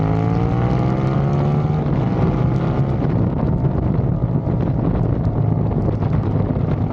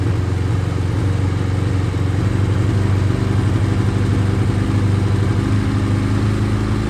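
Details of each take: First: Ducati 848 after shop replaced throttle position sensor for misfiring and power loss, test ride: strong, even engine note rising and falling through gears over heavy wind noise, no stumbles or misfires; normal running, fault fixed. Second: Ducati 848 before repair, throttle held steady: a deep twin beat whose revs drift up and down and worsen the longer it is ridden. It was overfueling with wet plugs; the shop then replaced the throttle position sensor.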